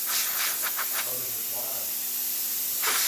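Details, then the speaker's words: Quick Mill Silvano Evo espresso machine after pump replacement, warmed up to temperature: strong, steady high-pitched steam wand hiss with even pressure; steam wand flowing normally. "Okay, now that the machine is up to temperature, we can now start testing the steamer, and as you can hear and see, excellent steam coming out of this machine. Great pressure, excellent temperature,"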